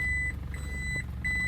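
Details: Automatic car after transmission additive, warmed under 2 minutes, reverse engaged: clear high beep repeating about every 0.75 s over low engine hum; reverse beeper working normally, reverse always engaged normally.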